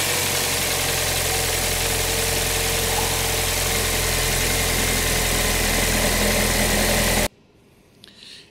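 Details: Cold engine started right after a new coolant temperature sensor was fitted; the old sensor read hot on a stone-cold engine, causing extended crank. Now it catches promptly and idles evenly, then shuts off; healthy.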